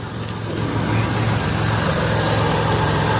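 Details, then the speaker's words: 2003 Ford Windstar LX wheelchair van, believed 3.8 V6, 248K miles, battery guessed about a year old, idling heard under the hood: steady smooth low hum, no knocks or misses; normal idle, no leaks or smoke seen. "I want you to listen to it run underneath the hood I have I believe this is a 3.8 v6 and I old smoothly"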